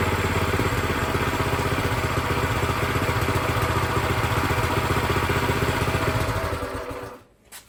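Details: Brand-new Predator 212cc single-cylinder engine on a plate compactor, first start with fresh oil and gas, idle raised slightly: steady, even putter at settled idle with no misses or knocks until shutdown; running healthy.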